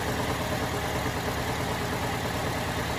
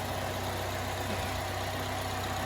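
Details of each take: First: 2010 Chevrolet Malibu, 106,000 miles, first start on the lift: steady idle with a faintly lumpy pulse about two beats a second, already smoothing out; slightly uneven idle. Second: 2010 Chevrolet Malibu, freshly swapped used engine, no check engine light: steady even low idle hum with no knocks, misses or rattles; normal idle.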